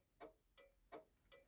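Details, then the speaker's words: 1966 Chrysler New Yorker with ignition on and the lever returned to off: crisp single clicks about 160 a minute keep going; turn signal flasher stuck on from a stray coil spring shorting the turn signal switch. "there it is and she's still going now if I turn it up to turn right she's gone back down to the middle still off now that's in the middle still going"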